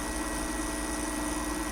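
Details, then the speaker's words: Fogger 3 pump after flushing out dirty residue, with fluid coming through the line. A steady, even hum with a constant mid tone and no knocking, surging or sputter; the pump is good and running clean. "So we know the pump is good. Running through clean."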